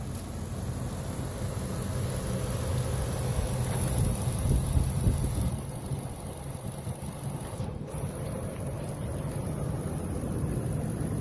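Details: 2001 Ford F-150 V8 sold as a mechanic special with a misfire: idling with a slightly lumpy, uneven beat and occasional stumbles in the low rumble; misfire at idle.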